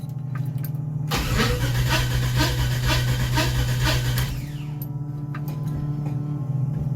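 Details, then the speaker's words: 1955 DeSoto, supercharged 392 HEMI V8, cold start after sitting a few weeks: cranks about a second, catches rough and uneven, settles to lumpy idle; owner thinks there was no fuel in it. "This thing probably will not be happy because it hasn't been started in a few weeks."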